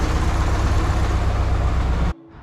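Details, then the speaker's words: Nissan 240SX KA24DE after timing chain work: lumpy uneven idle with heavy shake and stumbling beat, misfire because cylinder 2 and 3 plug wires were swapped. "All right, so you guys are probably gonna roast me. My cylinder 3 ignition wire was in cylinder 2, and the cylinder 2 was in cylinder 3."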